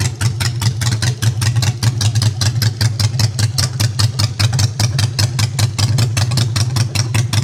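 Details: Customized Honda Shadow with new custom exhaust pipes, idling in neutral with choke out; deep steady even thumping at about 2.5 pulses a second, no misses; idling cleanly.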